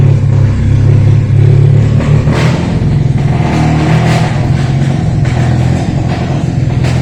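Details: Toyota Corolla Bigbody GLi starting and running with a high, hunting idle and uneven surges, check engine light on; vacuum (MAP) sensor found disconnected, upsetting fuel supply to the injectors.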